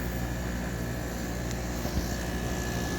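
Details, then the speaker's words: Soleus Air (Gree) dehumidifier, eight or nine years old, after replacing the failed relay that kept the compressor running: steady low compressor hum with even fan whoosh, no rattles or sparks; running normally after repair. "all right it's working I don't see any Sparks compressors working"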